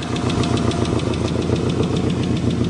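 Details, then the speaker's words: 1990 Subaru Legacy flat-four, first start after sitting 2 years with missing parts replaced: lumpy, stumbling idle as if a cylinder isn't pulling, sounds like three cylinders; cause unconfirmed. "it just doesn't sound right does it just let it idle let it idle i'm gonna unplug one wire at a time and see it sounds like it's on three cylinders for some reason doesn't sound right"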